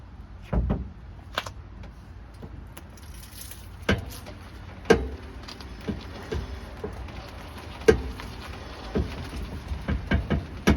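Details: Car in neutral rocked forward and back at the driver-side rear wheel: irregular creaks and clunks from the rear wheel/suspension.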